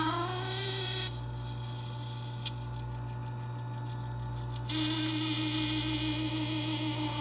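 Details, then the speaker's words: Taotronics TT-IC001 nugget ice maker, about 7 months old, at the start of the cycle with no ice being made. Low hum with a sustained, wavering high screech from the mushroom-head ice extrusion head at the top. "discovered the noise was coming from where it was trying to push up the ice through the top unit, right up in here."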